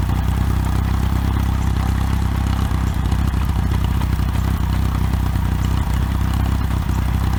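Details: OMC 2.5 L 140 hp sterndrive in a 1981 Sea Sprite, on water muffs after sitting since winterizing, warming up: a low, even burble at a steady idle with no knocks or misses and no rise in pitch. Smooth, normal idle.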